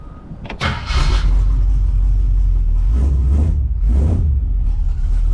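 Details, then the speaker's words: 1973 Jeep CJ with AMC small block V8 and Turbo 350 automatic, after new valve cover gaskets, fuel line and filter: catches after a short crank, then a steady, even rumble with clean rev blips. No oil leaks; runs like a dream. "Yeah, she runs like a dream, man."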